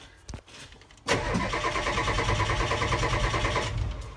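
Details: 7.3 IDI Ford diesel in a 1976 Ford truck, after swapping the glow plug controller: starter cranks steadily at about three turns a second but the engine never fires, a no-start from glow plug issues.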